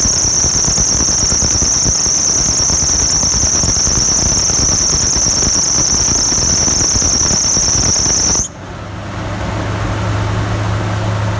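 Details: 1996-2002 Toyota 4Runner at startup: loud, steady high-pitched squeal over the idle for about eight seconds, then cuts out; belt squeal, owner suspects alternator belt, unconfirmed.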